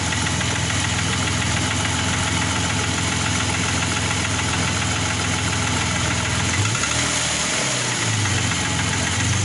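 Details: Engine knocking at idle after rebuild; fast, even tapping knock throughout, owner asks what it is, cause unknown.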